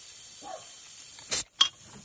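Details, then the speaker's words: Turbo system boost leak test with an air compressor at about 15 PSI and soapy water: a thin, steady high-pitched hiss of pressurized air escaping at the leak point, where bubbles also form. "watch here you also hear a hissing hissing noise you probably hear that right now"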